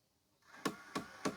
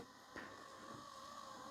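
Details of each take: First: Hitachi TV/DVD combo VC326000 that won't load or eject discs: small motor whirs while sharp clicks repeat about three a second as the last gear on the disc roller shaft slips; it had worked off the shaft before. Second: Hitachi 32-inch LCD TV/DVD combo (model VC326000) DVD loader after repair: quiet, even loading-motor hum with light clicks as the disc seats, smooth travel; stops and ejects nicely, gear not slipping; normal disc loading.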